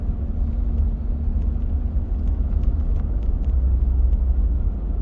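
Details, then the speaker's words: Volvo XC90 driving after replacing two engine mounts to fix engine vibration: steady low rumble with no knocking, shudder or thumping; engine now runs smooth like new. "really smooth oh honestly i am not joking it feels like a brand new car even the sound it sounds amazing"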